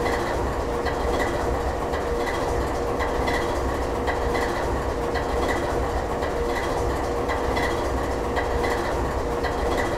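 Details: GE 7FDL16 diesel at even lower idle: deep, even, unhurried rumble with a slow steady beat, no knocks or misses; running normally.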